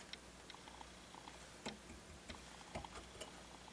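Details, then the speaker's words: Harman Kardon HK3270 receiver, left channel of the power amplifier (preamp ruled out): quiet hiss broken by irregular sharp pops and crackles that get louder with heat. Suspected transistor, possibly a ceramic capacitor, not confirmed. Audio crackling. "I just haven't nail it nailed it down to where it is it's still crackling there's something going"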